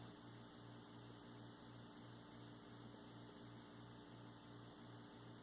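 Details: Lenovo computer bought in January 2013: faint, steady tick about every three-quarters of a second over a quiet fan hum. A repetitive ticking noise of unknown cause.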